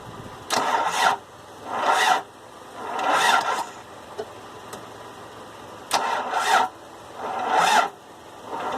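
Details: Toyota 22RE engine, won't start: repeated short cranking bursts about a second long with pauses; starter turns it over but engine never fires.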